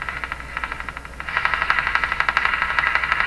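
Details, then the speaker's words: Canadian Philco 409 (46-350) portable radio chassis on the bench, no station tuned: sharp pops about four per second over faint hiss, interference from an unknown source in the house. "plus you can hear that popping sound that's the interference that's here in my house I don't know what is that"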